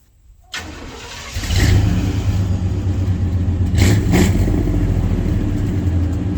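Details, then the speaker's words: 1990 Chevy K1500 V8 just after exhaust repair: fires up and revs unevenly, surging and stumbling as if running out of gas; owner suspects low fuel pressure rather than plugs or wires; rough running. "now that we got the exhaust squared away we need to figure out why this motor is running like garbage and when I say garbage I really mean it and it's not a mess like a plug or a wire it it's like it's running out of gas first thing that comes to my mind is fuel pressure"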